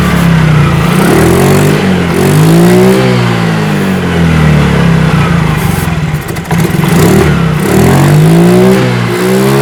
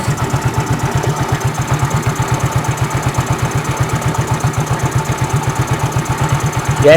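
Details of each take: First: Fuel-injected scooter, previously unable to idle or rev, after cleaning the throttle body with carb cleaner: engine picks up cleanly on each blip, revs rising and falling smoothly with no stumble; throttle response healthy. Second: Fuel-injected scooter-type motorcycle that won't hold idle and won't rev: lumpy idle with uneven thumps about four per second that never settle; dirty throttle body sensor suspected.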